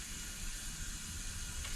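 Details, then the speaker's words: Freshly built, not yet broken-in engine, cold around 55–60°F, leak-down test reading about 50%: steady hiss of air escaping past the piston rings into the bottom end, not from exhaust or intake; rings not yet seated. "You can hear the air isn't coming from, it's not coming from the exhaust, not coming from the intake. You can tell it's going past the pistons."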